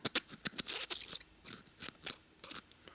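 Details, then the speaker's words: 1977 Harley Sportster ironhead 1000cc XL/XR motor rebuild, checking the clutch gear roller bearing by sliding the roller set into the race: quick even little squeaks, no chunky catches; bearing smooth and good. "If it's smooth, you can feel it. If it's all uneven, you can feel it go chunk, chunk, chunk in there. It's a way of telling if it's any good. You can also hear it. It's got that squeak noise where it's even."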